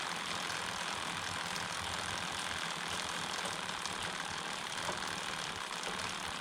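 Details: DIY carbon fiber recumbent bike, 39 front, 11 rear, mic one hand length away: soft even chain whir with no clicks; removing the chain keeper from the idler greatly reduced the noise.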